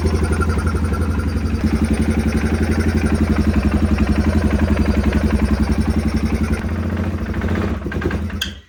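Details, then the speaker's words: 2016 Polaris Sportsman 570, intake pulled after hard-start troubles: single thumps unevenly at fast idle, then a brief high screech as it spins down to a stop; rough running with screech at shutdown, cause unclear. "I don't like when it comes to a halt it kind of screeches though"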